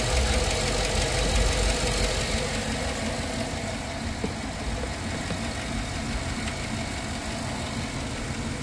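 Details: GM AFM V8 at idle after adding Prolube oil additive: light quick tapping about three per second following engine speed, still present after minutes and from cold to warm, usually fades after driving; lifter tick.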